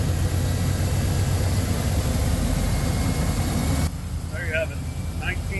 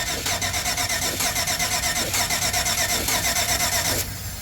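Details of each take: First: 1995 Chevy K2500 Suburban after replacing the failed ignition module under the distributor cap that caused crank no start (original coil good): steady low rumble with an even beat, no misses or stumbles; idling normally. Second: 1995 Chevy K2500 Suburban, crank no start: steady starter cranking about one beat per second with no catch or firing, cutting off at four seconds; fuel pump runs but no fuel at injectors and no spark, caused by failed ignition module under distributor cap.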